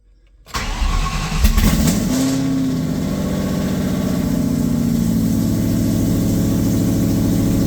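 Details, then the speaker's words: 2003 SVT Cobra with new fully forged engine, restart after fixing a tapping/knocking noise from first startup: cranks, catches quickly, settles into smooth whisper-quiet idle with no ticking or knocking; plenty of oil pressure. "Tons of oil pressure still. Whisper quiet so far. Man, that is night and day compared to the last startup."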